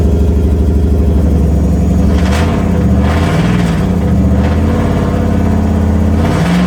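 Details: Nissan 200SX S13 with 1UZ VVTi V8, first startup after months of build work: deep, smooth rumble swelling and settling as the throttle is worked by hand. No knocks or rattles; running healthy.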